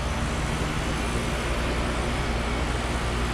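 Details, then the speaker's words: Carrier mini split outdoor unit after compressor replacement, condenser fan speed-controlled: steady even hum with constant fan rush, no knocking, rattling or squeal; normal running, cooling well. "it's cooling pretty good in there"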